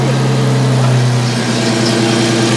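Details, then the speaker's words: Car after cat-back exhaust install, leak check in gear with driveshaft spinning: steady, deep, even idle burble with no ticking or puffing at joints; exhaust sealed, normal idle. "yeah it sounded great though yeah it's probably gonna sound better than it ever has"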